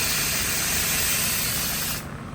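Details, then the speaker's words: Honda Civic air ride after fixing its electrical issue, car parked up on blocks: strong steady hiss of air venting about two seconds, then clean shutoff as it drops from standard ride height; normal lowering. "This is just kind of my standard ride height. And then I can skate it this low."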